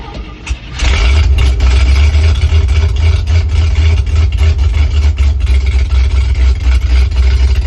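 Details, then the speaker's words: 1968 International Loadstar 392 V8 on new Holley inline electric fuel pump, choke on, just started after a suspected stuck float: deep loud idle surging unevenly as if about to stall; idle and gas pedal need adjusting. "Sounds like it's gonna die. Idle needs adjusted."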